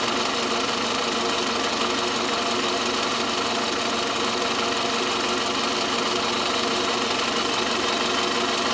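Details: Toyota Camry 40, 2.4 engine at idle: constant ringing, sharp metallic knock near the alternator, always present, never lets up; source not pinned down; engine knock.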